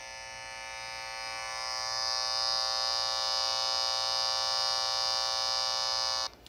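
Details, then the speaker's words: Tracer amplifier noise probe held near a wall dimmer switch: steady raspy electrical buzz swells and holds, then cuts off suddenly; interference radiating near the switch, possibly from transformers or wires close to the surface. "let's check some switches whoa dimmer switch not a good thing for you"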